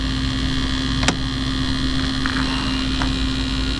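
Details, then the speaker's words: 1975 Chevy Vega that sat for years with no gas tank, fed from a makeshift external tank: a constant electric hum at one fixed pitch with no surging, plus occasional handling clicks. The electric fuel pump is running and delivering, with a leak. "You got gas. >> Not pumping. It's pumping cuz it's leaking."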